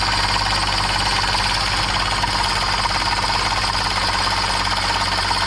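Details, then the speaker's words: 2015 Subaru Outback with belt-noise complaint (loose squeaking belt): busy uneven rattling chatter over steady idle, clattery not squealing, as the AC compressor clutch floats and wobbles on its shaft. "let's start it take a look at that ac clutch and you'll see it just start flying off the rail it's just floating in there"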